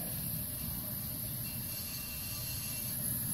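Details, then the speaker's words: Restored 1974 Coleman stove, generator heated so fuel vaporizes: steady, even burner roar with no sputtering or pulsing; burning cleanly. "it'll heat up and turn into a vapor and then it'll power through here it comes out with vapor so let's try that"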